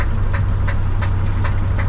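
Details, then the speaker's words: 1968 Ford F100 engine knocking at a rough low idle: a sharp, regular knock about three times a second; the source is not pinned down. "she's knocking."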